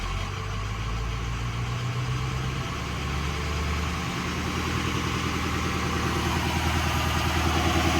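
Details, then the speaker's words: Ford F250 6.0 diesel with newly installed high idle switch: steady diesel clatter steps up to a faster, even idle with no pedal and holds smooth, then idles back down when switched off; works with or without parking brake. "Nothing on the pedal. Switch off, idles back down. This thing is actually sick."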